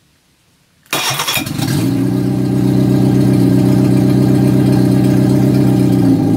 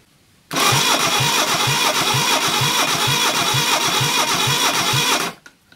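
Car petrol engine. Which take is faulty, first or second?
second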